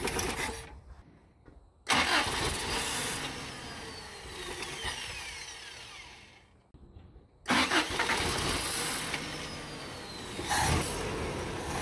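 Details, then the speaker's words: 1987 Toyota 2WD pickup with a 22R engine that won't idle. It fires, runs briefly and fades out, then restarts; it must be kept on the gas. Cause unclear before checking for vacuum leaks. "you have to keep the gas on it we have to do some poking around"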